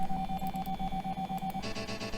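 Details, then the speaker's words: Sound card in an old Compaq system, after installing a downloaded driver: the startup sound plays as very short clipped bursts repeated several times a second, with only the first few milliseconds of each sound playing; MIDI plays fine. "whoa that's so weird it's only playing the first few milliseconds of each sound fascinating"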